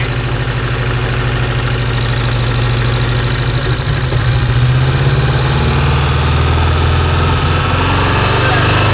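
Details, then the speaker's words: Porsche 924 Turbo that long ran poorly, started in the shop: lumpy, uneven loping idle with a dead-cylinder stumble; misfire from a spark plug lead with its insulation gone, arcing, and it runs better without the arcing. "look at that wire right there the insulation's gone"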